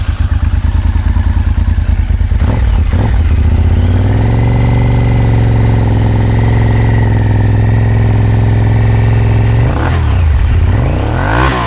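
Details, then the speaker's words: 1998 Honda VTR1000F Superhawk V-twin with full Yoshimura exhaust and factory jetting, cold start after sitting for months, then revving: slight hesitation and stumble on throttle; owner recommends a carb service as stale fuel likely. "hear a little bit of hesitation, I would recommend a carb service. Bike was sitting for a few months, and we all know what that does to fuel and the carbs."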